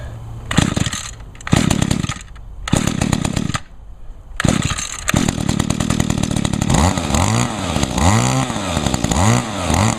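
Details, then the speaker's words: Echo two-stroke engine on 50:1 gas-oil mix with little fuel, started on choke after priming; blips a few times, then holds a crisp buzzing run with clean throttle sweeps. Runs real good, normal running. "there we go cool yep she runs real good"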